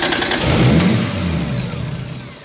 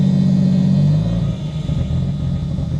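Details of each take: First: Mk3 Toyota Supra running on a new trigger kit and new exhaust; catches at once, revs briefly, then settles to a smooth run with no misfire, much better than before. Normal start. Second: Mk3 Supra on a new trigger kit, not yet tuned, after a fuel pump fuse swap: engine drops and stumbles, then runs uneven and lumpy, unhappy with throttle input, hesitating and bogging; ECU table changes planned, cause not confirmed.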